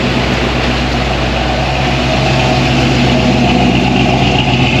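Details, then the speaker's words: 1972 Chevy K5 Blazer with Holley Sniper EFI, driven home on a cold ride: steady high idle that won't drop under 1,000 rpm and never settles. "You hear that high idle? Yeah. It's like high idle, look in there. It's like, I can't get it to idle under 1,000 RPM."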